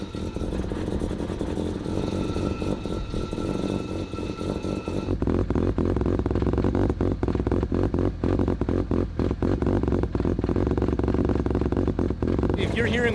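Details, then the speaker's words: Rotary-engined Corvette, cold, new resonator exhaust: irregular metallic clinks over buzzing idle and revs, seemingly from the torque tube area; hard-mounted exhaust with no flex joint fights the moving engine. "what we're hearing, which is a clinking kind of clink, clink clink clink noise. I was getting really worried because it sounds like it's in the torque tube area. It is, but it's not. There's not a a flex piece on the exhaust."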